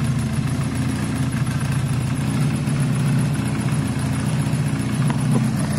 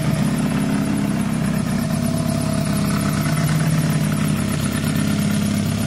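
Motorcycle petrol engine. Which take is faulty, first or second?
second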